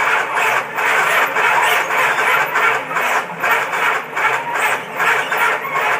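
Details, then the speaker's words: 1969 Dodge Charger no-start: battery fully charged and passes load test, distributor firing order correct and in time, yet cranking is slow and labored at about two and a half beats a second, as if the battery were dying, and it never catches. "You can tell by the sound of that it acts like the battery is dead or dying, and it's not."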